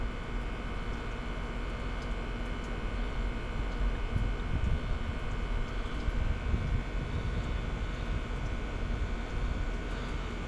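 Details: Kyosho Jetstream 1000 nitro RC boat, restored GT32 marine engine with leaking head: whirs steadily under the starter but never catches or fires.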